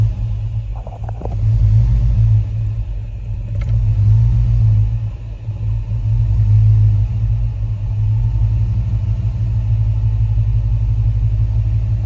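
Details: Hemi-swapped full-size Jeep Grand Wagoneer: deep, steady V8 idle rumble that sags and wavers in speed over several seconds as the warm engine idles down; previously it would bog and die. Cause unconfirmed; intake air temp sensor, oil temp sensor, misfire on the list.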